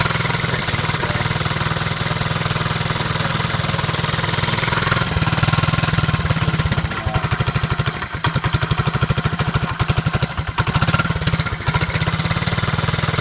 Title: Z50 Exhaust Leak Trying To Locate